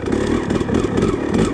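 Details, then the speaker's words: KTM 300 two-stroke on a rebuilt stock Keihin PWK 38 carburetor with JD Jetting kit, in first gear: crisp, fast, even idle with steady burble, no misses or rattles; it doesn't want to die, runs clean and healthy. "this is just idle it doesn't want to die"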